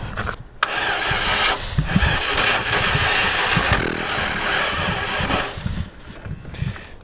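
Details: 1991 Range Rover Classic Hunter, unused for years, after a retrofitted non-matching fuel pump; steady starter churn about three beats a second, never firing. Cranks, no start; original starter then found smoking and replaced, after which it ran.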